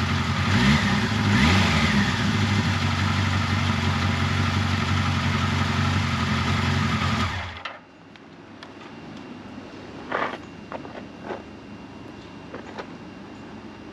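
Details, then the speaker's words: 1979 Kawasaki KZ1000 shaft, first start after intake boot reseal, head bolt re-torque, carburetor cleaning and valve clearance check: steady even four-cylinder run with clean rev pickups, no knocks or ticks; normal running. "as you can hear no bad noises everything sounded good"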